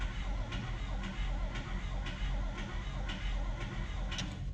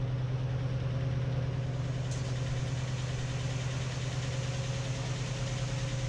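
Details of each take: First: 1955/56 Oldsmobile Rocket 88 with 324 V8, barn find sitting 22 years, cranking: turns over about one beat per second with light tick each turn but no start; owner suspects a bent lifter, checking points for spark next. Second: 1955/56 Oldsmobile Rocket 88 with the 324 V8, sat 22 years, first idle after revival with good oil pressure; a big vacuum leak is suspected: steady, even low rumble with no knocks or misses.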